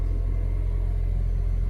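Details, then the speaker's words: Ford Fiesta (Rocam engine), first start of the day: normal quiet idle turns into a heavy, deep steady rumble whenever the air conditioning is switched on and stops when switched off; A/C still cools well; cause unknown. "barulho bem eminente vou desligar ó mudou o barulho vou ligar olha o barulho então rapaziada é esse é o problema que eu estou passando com o meu veículo"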